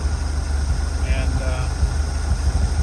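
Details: Six-cylinder 250 CID engine in a van with a new Daytona carburetor, fuel pressure regulator and gauge fitted for a hot-restart problem, restarted in a parking lot during a test drive: low, even idle, no misses, knocks or hunting; runs smoothly.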